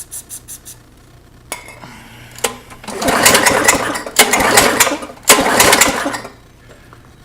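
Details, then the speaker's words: Tecumseh lawn mower engine with heavy blowby, pull-started and refusing to start: three pull-start bursts spin it freely and fast with little resistance or chuff, showing very low compression from a worn piston and bore. "so far since it's not starting it still is all right you guys can hear that just shows you how much little comp compression there"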